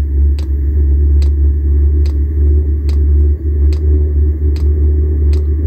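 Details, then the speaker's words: VEVOR 8kW diesel air heater newly installed in an M35A2/M109A3 camper truck, just started on high and warming up: crisp even fuel-pump ticks about seventy a minute over a steady low burner rumble; pump metering normally. "can hear the pump"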